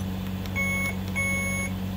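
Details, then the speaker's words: Alaris IV pump, mains-powered during repair, audio adjust test: two clear high beeps about half a second each over a steady low hum; alarm test beep sounds normal. "this is handy when you're in the hospital and the beeping is too loud to deal with but you don't want to silence it because the nurses get grumpy with you you can hit your test or you can go louder"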